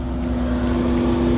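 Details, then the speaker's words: Seat Alhambra diesel with persistent DPF regeneration every ~10 km and fault P0403 EGR circuit: engine switched off mid-regen at 580°C, and the cooling fans run on with a steady, even whirr for a few minutes. "can hear the fans are running, because it was just trying to do a regen, and we've turned the engine off, so the fan is going to run for a few minutes."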